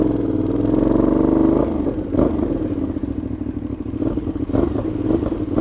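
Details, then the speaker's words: Motorcycle with play between silencer and catalytic converter: loud, lumpy idle with uneven popping and clatter through the pipe, loud enough to set off car alarms; loud exhaust at idle, possible leak. "juste le ralenti je suis sûr que je pourrai faire sonner une alarme de voiture"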